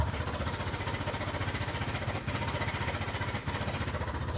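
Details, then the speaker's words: 2013 Ford Ka at idle after the throttle is released runs lumpy and shaking with uneven low thumps, apparently on only two cylinders; a scope shows the ignition coils firing. "so finally we've managed to get the misfire to occur I don't know if you can hear it in the background there"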